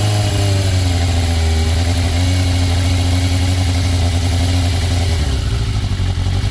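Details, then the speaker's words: 1996 Yamaha FZR600 after sitting and being backed into, first start: steady, even four-cylinder idle with no misses, rattles or knocks; normal idle. "woo she sounds good all righty well she's running again guys"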